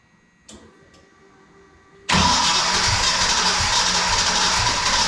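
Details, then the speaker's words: Ford Mustang project car after new fuel tank, pump sock, filter, regulator, rail and cleaned injectors, first fire-up: silence, then catches at about two seconds and runs loud with an uneven, stumbling beat; ignition timing far off. "st fire it okay we're pretty far off on timing so hang on a second let it die we're not quite there yet"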